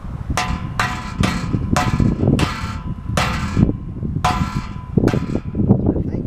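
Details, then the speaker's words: Chevy K10 muffler, after rattling was heard underneath on a trail ride: tapping the can gives sharp metallic clangs with a loose buzz. Owner suspects a loose baffle inside the muffler. "I think I got a muffler that's like baffling's coming loose. Hear that sucker? So I don't know if it's just, maybe it's just a little bit loose."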